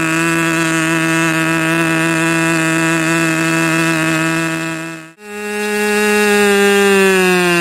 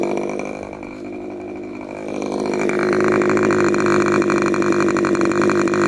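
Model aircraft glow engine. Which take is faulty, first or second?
first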